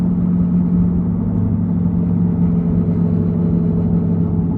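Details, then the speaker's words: Chevy Cruze on a test drive: steady, deep droning roar from a badly worn driver's side front wheel bearing, louder turning right as weight loads it, fading turning left. "roaring noise you're hearing that is a wheel bearing that is I'm surprised that it come apart and if you notice it's on the driver's side front"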